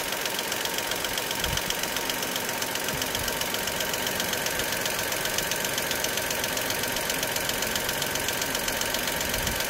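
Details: Dacia Sandero SCe75 at idle: light, fairly regular ticking a bit over once per second on top of a steady idle; ticking at idle, cause unexplained.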